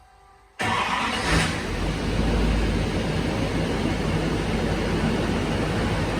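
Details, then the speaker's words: 2011-16 LML Duramax diesel after installing an AirDog lift pump, started after one key cycle: silence, then it fires at once and settles into a steady, even diesel rumble; normal start. "That was really easy. I only cycled it once and it started."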